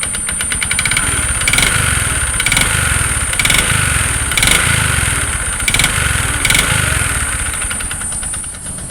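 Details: Bajaj Platina 100 at about 28,547 km, before piston ring replacement; single-cylinder idle with hollow rattly metallic knock each firing beat, piston side noise, rest of engine fine. Piston slap.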